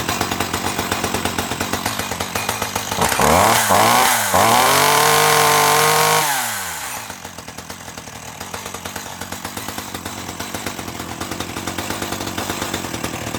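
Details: 1984 Dolmar 100 two-stroke chainsaw, warm, after repairing its snapped throttle linkage: it catches and revs hard for a few seconds, then drops to an even popping idle of about four beats per second, running healthy.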